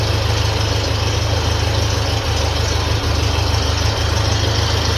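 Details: 1957 Ferguson FE35 TVO tractor, cold start on petrol, charging system test: even, low chugging idle about three beats a second, steady with no knocks or misses; charging light stays on, dynamo or regulator suspected. Normal idle.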